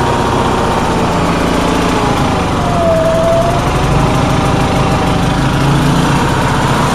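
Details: Onan generator, cold day, after a fuel pump voltage fix: constant high-revving note with no dips. The owner says it idles too fast; cause unconfirmed.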